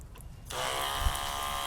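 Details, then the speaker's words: Portable 12-volt DC eBay pump (rated 9–14.4 V) feeding a DIY shower: after a short quiet gap the pump kicks on as the valve reopens and settles into a steady, even buzz with no stutter; working perfectly. "Yep. It's working perfectly."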